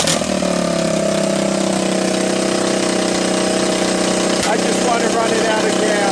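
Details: Honda ATC200X three-wheeler fitted with an ATC200S single-cylinder engine, after it weather-seized with rust in the bore and seized from oil loss; a cracked oil filter cap was replaced and oil refilled. It catches and settles into a steady, even run with no knocks or misfires; running normally.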